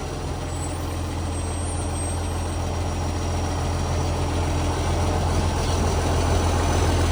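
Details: Canada Bay garbage truck SL780, diesel, Euro 3 style Euro 5 facelift, exhaust pipe leak (later fixed): heavy idle with deep rough blatty drone, unusually loud chuffing from the pipe; exhaust leak.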